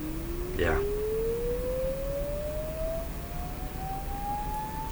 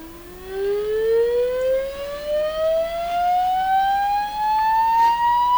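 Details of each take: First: Sony TR-712 transistor radio after replacing three small green capacitors; a tone signal is fed directly to the speaker, bypassing the amplifier. A pure, steady tone sweeps smoothly up in pitch with no buzz or distortion: clean output. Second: Sony TR712 transistor radio after replacing three small green capacitors: rising sweep tone with buzzy overtones that stay rough at low volume; distortion present, owner unsure if it is the original fault or just overdriving.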